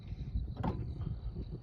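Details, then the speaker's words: 2008 Ford Escape 3.0, complaint of choppy, clunky steering when turning: one dull metallic clunk over a low rumble as the steering turns; lower steering shaft to rack-and-pinion U-joint worn out, replaced with a new lower shaft joint assembly. "customer complaint steering a little choppy on turning clunky"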